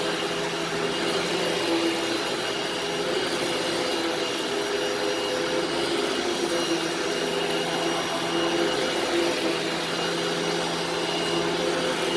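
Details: Upright vacuum running in carpet mode; steady, even mid-pitched motor whir with no surging or grinding, running normally.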